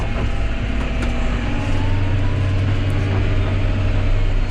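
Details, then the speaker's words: John Deere 6210R tractor driving on the road after transmission calibration and new hoses: deep, steady, smooth drone with no clunks. The high-pitched squeal heard before calibration is now gone, and the transmission works normally. "There was a high-pitched squeal before I calibrated it, and that high-pitched squeal is now gone."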